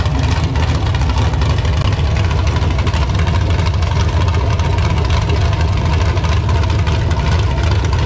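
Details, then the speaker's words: LQ9 V8 with Texas Speed Magic Stick 4 cam on run stand, Holley Terminator X handheld base tune, not yet fully learned: deep even burble at steady idle, no knocks or stumbles, sounds good. "as you can see now it does run it sounds good"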